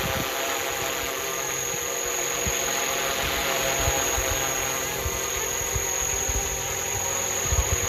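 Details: FlishRC AS350 450-class RC helicopter, 2500kV brushless motor with 12T pinion on 150T main gear, 4S LiPo, 60A Flywing ESC, flying in manual mode: steady high electric whine with an even rotor buzz, no wobble, rattle or surging. Normal flight.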